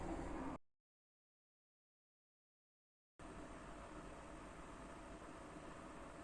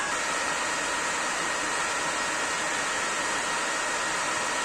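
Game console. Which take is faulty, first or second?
second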